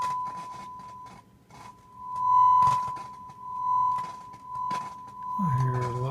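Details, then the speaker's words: Marantz 2250B receiver, pre-amp section after repair and power switch replacement, powered on: steady 1 kHz test tone swells and dips with sharp crackles and pops from a dirty switch; later cleaned with DeoxIT D5, crackling gone. "we're going to clean the switch it's definitely dirty you could hear the crackling"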